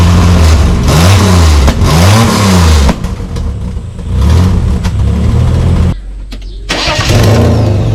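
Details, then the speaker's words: Holden VL Commodore six-cylinder, first start and drive after cam timing adjustment and newly painted extractors, cat and cat-back exhaust fitted: loud barking blips with swinging revs, then a deep booming idle; the exhaust is still loud. "first drive jeez that's loud"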